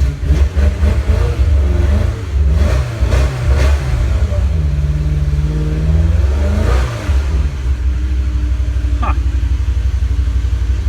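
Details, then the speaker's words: 2002 BMW E46 M3 idling with revs blipped: deep burbling idle that stumbles with a small miss, sounds like a cylinder dropping out; owner suspects a bad plug wire, unconfirmed; engine misfire. "I have a bad plug wire or something. You hear that little miss, it sounds like it's only running on 7 cylinders right now."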